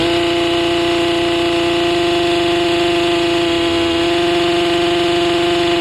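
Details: Stihl MS 261C M-Tronic chainsaw after a second carb rebuild with a full kit and M-Tronic reset, chain off; steady high buzzing that never drops to low idle, owner suspects it is getting too much fuel.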